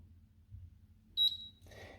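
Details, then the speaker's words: Gorenje hob won't turn on: single high touch-control beep and red light as it refuses to start because child lock is on; holding the lock button a few seconds disables it. "nothing happens little red light comes on here and it beeps but you you can see I can't actually uh turn on any of the uh hops here"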